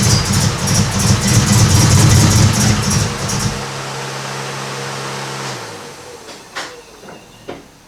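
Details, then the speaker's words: Honda Civic EK hatch project after the spark plugs were cleaned: lumpy, uneven chugging with a stuttering beat for a few seconds, then it dies, a misfire. It only runs at wide-open throttle. "so yeah we've definitely got some misfires there"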